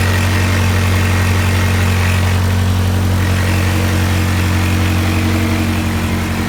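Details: Honda CRX with B17 engine after the timing jumped and possible piston-valve contact, fuel cut about 20% for richness: cold start with steady even idle and no audible misfire.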